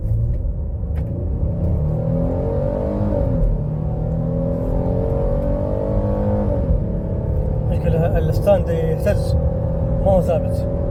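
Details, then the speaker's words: 2017 Ford Explorer after software reprogramming fix for misfire codes P0300, P0302, P0306 (previously misfired, weak power under load despite new plugs); hard-throttle acceleration, note climbs smoothly with no stumble or cut-out. Normal acceleration. "ما شاء الله تبارك الله مو محتاج اني اوصل السرعه كامله لكنه الان اول بالاول ما يمديني ادعس شوي كذا اللي هي ما شاء الله التقطيع موجوده"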